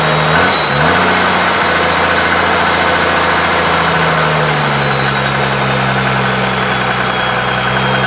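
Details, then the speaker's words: 1995 12-valve P-pump Cummins diesel after valve adjustment: rough idle clears when revved a little higher, settling into steady even clatter with all six cylinders firing, showing compression and working injectors. "but then if I accelerate a little higher it gets out of it now it's firing on all six"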